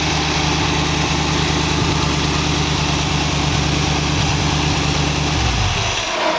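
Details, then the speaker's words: 1914 Dodge roadster with newly fitted dual Holley carburetors, tested in the driveway after jet and spring changes; it misses on light throttle, then pulls well at the next step; front carb seems fine, owner suspects air bleed; light-throttle misfire. "you can hear it when i just give it a little bit of gas it misses and it hits a the next uh step up it takes off good"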